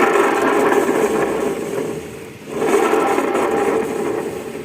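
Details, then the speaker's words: Carbureted Yamaha Xeon scooter with a harsh-sounding CVT: gritty rasp over the running engine with no smooth whirr; pulley bearing, needle bearing and small bearing suspected before teardown; worn CVT pulley bearing. "Masalahnya adalah suara CVT-nya kasar, teman-teman."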